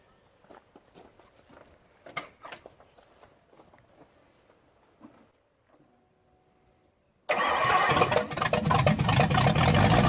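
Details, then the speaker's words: Freshly installed Ford 302 V8, first start after wiring, holds a loud, fast, even idle around 2500 rpm; high idle, cause unknown, vacuum hoses being checked. "so it runs sounds good but it's got a high idle it was idling at about what 2500 Daniel"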